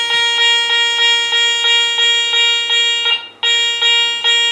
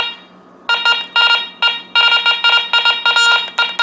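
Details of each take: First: Garrett Ace 400 metal detector air test: high bright bell tone pulsing about 2.5 a second on a coin at 10.5 to 11 inches, breaking up and hitting only intermittently at a foot. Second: Garrett Ace 400 metal detector switched on indoors at sensitivity zero, still chattery after storms: irregular bursts of high buzzing tone over a steady hum, false signals from electrical interference; sensitivity to be bumped all the way down, air tests to be done outside.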